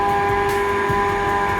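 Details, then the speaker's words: Radon mitigation fan the homeowner reported as awfully loud, installed with what looks like 2x3 downspout piping: a constant loud drone with steady high tones and a rough, gritty undertone; the fan is wearing out with grinding bearings, and is likely under its five-year warranty. "all right so today the owner of this house called me because he said the fan was awfully loud"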